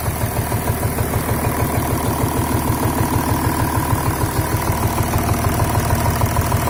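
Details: VW Touareg 3.0 TDI (CASA) idling in a car park after losing power on the highway with vibration at 2000 rpm; uneven diesel idle with a steady low knock about three per second and body shake, cause not yet found.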